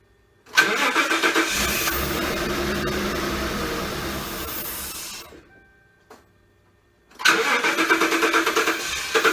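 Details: Engine with cylinder 8 misfire code: cranks, runs lumpy and uneven, shuts off, restarts just as rough. The replacement intake manifold likely shifted during installation and blocks the cylinder 8 spark plug hole.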